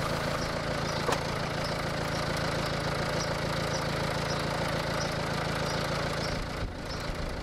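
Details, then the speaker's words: 2009 MINI Cooper D R56, PSA-derived diesel, 136,000 miles, sold with reported top-end rattle: cold idle with loose, uneven rattly knock over clatter, no oil warning light; cause unconfirmed. "it obviously doesn't sound too great there doesn't appear to be any oil warning lights on the dash"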